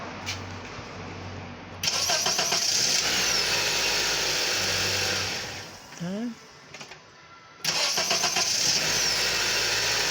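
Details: 2008 Honda CR-V at 163,000 km, after a new starter motor replaced the old one that would not crank: quick, even cranking whirr, then the engine catches and settles into a steady run; starts normally.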